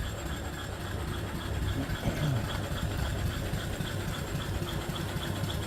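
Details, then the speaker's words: Upside-down 1880s-style 5 HP steam engine with large flywheel; low steady chuffing three to four a second, soft even rumble, runs true and unstrained. "The big old flywheel runs real true. Just beautiful."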